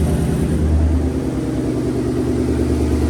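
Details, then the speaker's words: 2019 Ford Coyote V8 with 10-speed after replacing wiped-out exhaust camshaft lobe, rocker arm and oil pump gears, first start with oil pressure, warming up; steady smooth low idle rumble, previous consistent knock gone, normal idle. "It was good, so I'm not hearing that consistent knock I was hearing before. That's good."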